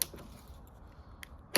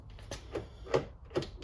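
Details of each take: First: B8-generation Audi Q5 with an intermittently faulty fuel door actuator that had trouble locking, tested before replacement by closing the fuel door and locking the car: quiet background, then a couple of sharp mechanical clicks as the actuator strokes; it works on this cycle. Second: B8-generation Audi Q5 after fuel door actuator replacement, with the AdBlue cap refitted: short crisp clicks and clunks in quick bursts as the lock cycles, no grinding or buzzing, and the fuel door stays shut when locked; actuator working properly.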